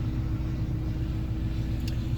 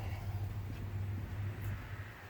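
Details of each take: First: 2002 Ford Explorer 4.6L timing-chain V8 4x4 with Flowmaster 44 exhaust, idling just after its first start in over a year on old fuel. It started right away and has good oil pressure. A steady, even rumble with no knocks, ticks or misses; healthy. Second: 2002 Ford Explorer 4.6L timing-chain V8 4x4 with Flowmaster 44 exhaust, on its first start in over a year using a jump pack. It catches abruptly into a fast idle with a loose rattle in the first seconds. The owner worries about rattles on these engines; the cause is unconfirmed.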